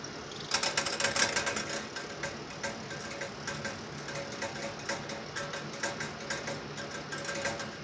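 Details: EVGA 750 BQ 80+ Bronze PSU, about two years old: irregular sharp ticking in bursts of three or four a second over a thin high coil whine, worsening over recent days; failing power supply.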